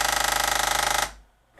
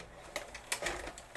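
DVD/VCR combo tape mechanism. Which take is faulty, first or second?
first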